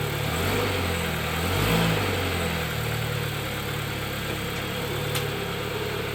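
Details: 2013 Dodge Dart after replacing the passenger-side engine mount, which had sat over an inch low causing vibration, with a cheap aftermarket mount: steady, even idle with smooth low hum and no clunks or shudder. Normal idle.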